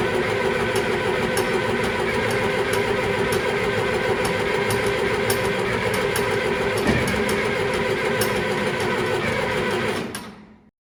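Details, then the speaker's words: John Deere 2510 diesel tractor, no cold-start assist, at about 24°F in snow: steady cranking about three turns a second for ten seconds without firing; hard cold start. "I think this will be the coldest cold start we've done on it here yet and of course as you folks know this this director does not like to start in the cold"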